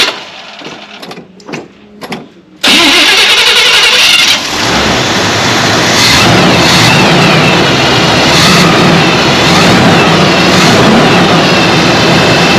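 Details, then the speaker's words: 1978 Chevy C20 4wd, 350 small-block V8, first start after a backfire fix (new cap, rotor, coil, plugs, coil ground strap in distributor): brief crank, catches cleanly into a steady, even idle with no misses or pops; normal. "This is going to be our first start, so you're going to see the same thing I do, but I think it should fire right up."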